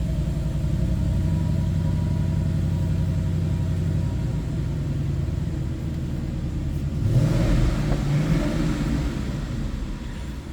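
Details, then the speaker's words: 2012 Ford Mustang GT Premium convertible, 5.0L (302) V8, 9,057 miles, started from the ignition with no check-engine lights. Deep steady V8 burble at idle, then a clean rise in pitch on a throttle blip, smooth and even throughout. "Oh, that 5-liter sounds good. Little 302 underneath the hood."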